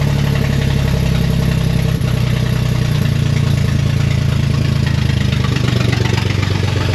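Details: Corvair (paperwork says 69) flat-six, unrun for years, left outside in rain, started off a jump box: low, throbby idle with an uneven beat that never settles; rough running after long storage, cause not yet pinned down.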